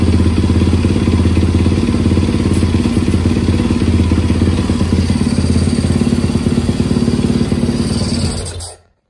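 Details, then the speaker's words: 2017 Yamaha WR450 single after a new piston, cylinder and rings, replacing a badly worn piston that slapped in the bore: even thumping idle, no slap or clatter, much quieter, then clean shutdown. Normal idle. "put it all back together and freaking runs like a champ listen to this"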